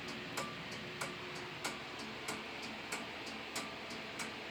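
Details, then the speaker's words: Simplex 2001 fire alarm panel with march time card, working after two resistors on the signal card were cut; strobe set to 1575 candela: crisp, even relay ticks about 94 a minute over steady hiss, normal march-time pulsing. "love the sound of those relays."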